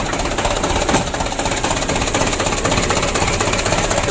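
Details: 2007 Mitsubishi Canter diesel freshly rebuilt (had been blowing by and burning oil), first start: steady busy clatter about four beats a second, no heavy knocks or misfires. Normal running.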